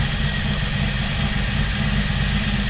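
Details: 1982 Honda Magna V45 V4 after carb reinstall, valve clearance check and carb synchronization: smooth, even, low idle with a steady beat and no misses or knocks; healthy, balanced idle.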